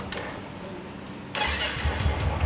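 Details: Royal Enfield Classic after the starter one-way bearing repair and fresh engine oil: quick, clean crank catching at once into a steady thumping idle, with no grinding or clatter from the starter.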